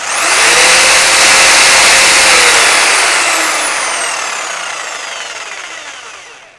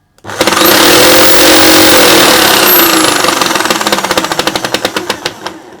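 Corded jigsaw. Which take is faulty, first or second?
second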